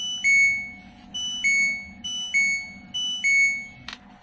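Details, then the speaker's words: LG Smart Inverter washing machine control board, which had shut off mid-cycle, powered up again on an external adapter after the repair; its 12 V line now measures a stable 12.33 V. Clear high four-note chime; normal power-on melody. "Selanjutnya kita tekan tombol power di sini. Nah, sudah hidup lagi."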